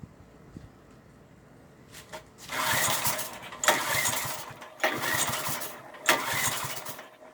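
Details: 1995 Briggs & Stratton engine, cold start after seven years unused since 2013: repeated pull-cranking bursts about a second long with no steady run; won't fire after long storage, cause suspected, not confirmed.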